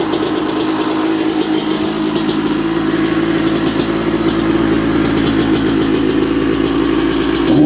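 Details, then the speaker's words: 1994 Honda CR125 two-stroke, after clearing dirt from the carb that blocked the 58 pilot jet and caused bogging and stalling, very cold night: crisp, steady rev, slightly soft at the bottom, air screw to be adjusted; normal running. "beautiful H so I can hear that it's not quite as crisp as what it could be at the bottom so it's got a 58 pilot jet in it"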